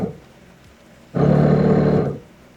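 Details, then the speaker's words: Car bought used: low steady wiper motor hum runs about a second then stops with no sweep; wipers not moving, possibly something stuck or the motor not fully working. "that is the window wiper motor trying to move the wipers and it's not moving the wipers so that needs to be checked out it might just be something stuck or it could be the motor not fully working"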